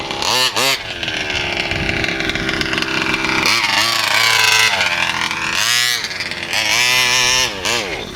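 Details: VEKTA.5 RC car, needles set full turn high and 1.5 low: sharp screaming revs rise and fall unevenly in surges, sagging and cutting out between bursts; engine bogs at high speed.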